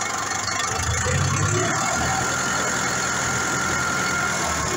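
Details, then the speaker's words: Massey Ferguson 440 farm tractor diesel, about 12,000 hours, injectors redone, valve clearances set 0.25 intake/0.30 exhaust: rough run with uneven knock about four per second, engine shaking, misfiring, loss of power and torque, little smoke at full throttle; cause not yet found. "وكما تلاحظ الآن الموتور يخض، مش يدور عادي، في هذا الصوت طرح يظهر مع الشارع العادي."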